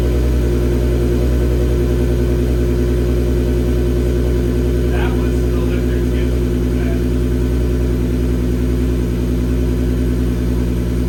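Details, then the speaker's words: MK6 GTI 3.6 VR6 after rod bearing repair: steady even idle with a smooth low hum and no knocks or misses; the earlier rough idle codes came from a loose cam sensor ground. "so I'm scared I'm shaking but it sounds good idling really nice"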